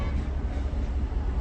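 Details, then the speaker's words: Toyota Corolla 2014 with DTC P1604 crank-no-start (key transponder/immobilizer fault), after repair with security light correct: engine starts and runs with low even rumble, no knocks or misses, normal running. "तो ये देखिए अल्हम्दुलिल्लाह गाड़ी एकदम बराबर स्टार्ट हो गई"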